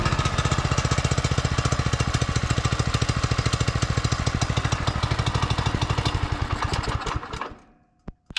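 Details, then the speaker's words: Barn-found Subaru Hyper Fox (Manco) go-kart engine, carb refitted, air filter assembly missing, on choke: steady thumping about three and a half beats a second, then dies away cleanly; running normally. "She's a runner."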